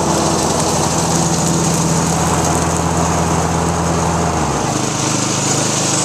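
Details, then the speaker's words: Weed Eater One riding mower with Briggs & Stratton 875 series professional engine, recently fitted with a new differential and a freshly charged battery: a steady, even small-engine drone with no knocks or misses and a slight pitch drop near the end; runs smoothly. "The mower runs great. I'm just going to start it up and show you."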